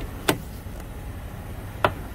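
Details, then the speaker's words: 2004 Toyota Sienna driver's door swinging open: two sharp cracking snaps about a second and a half apart from the cracked plastic door check spreading open on its pin; fixed by replacing the door check. "hear that that drives me insane and what that is is this piece in here right there and that's called a door check"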